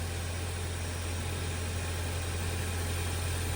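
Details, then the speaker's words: 2018 Ford Fusion Hybrid after replacement of its HF35 transmission, which had squealed from a failed stator bearing; in reverse it gives only a steady low engine hum with no squeal or whine. Normal running after repair. "Nice and quiet. So, you hear more engine noise than anything else. Transmission, go ahead and put it in reverse"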